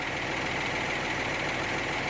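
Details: Hino truck with an H07C 195 hp diesel engine giving a quiet, steady idle with a soft, even clatter and no uneven beats. Normal idle.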